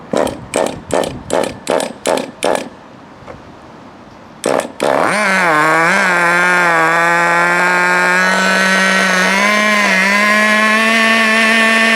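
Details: FTX Carnage 1/10 nitro truck, GO .18 engine, warm, after needle tuning and break-in: quick pull-cord rips, fires, revs, settles into steady high buzzing idle holding on its own as idle screw is turned down. Normal idle.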